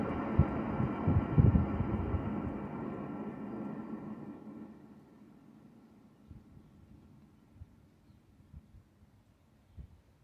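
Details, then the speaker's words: 1978 Pontiac Firebird hub, caliper off, spun by hand: spins freely but gives a low rough rumble that fades as it coasts down, with a few clicks at the end. The inner wheel bearing is suspected to be worn; bearings are being replaced. "yep we're replacing those I definitely rumbling and uh but it spins that's good it's it spins good but it's it's rumbling bad so sounds like maybe the inner bearing"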